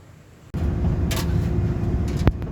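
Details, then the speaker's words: Mercedes Sprinter diesel van, brought in for check-engine light and a whine or knock, exhaust gas sensor suspected: deep diesel roar comes in abruptly and pulls hard and even under load with no stumble; strong acceleration. "чуваки поехала машинка смотри смотри еба что смотри что делает еба Вот это веприк нахуй не могу остановить"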